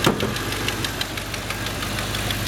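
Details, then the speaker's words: 1984 Chevrolet Silverado at idle: light, quick ticking from a small exhaust leak, suspected to be the driver's-side exhaust manifold gasket. "little exhaust leak you can hear ticking away probably needs an exhaust manifold gasket on the driver's side"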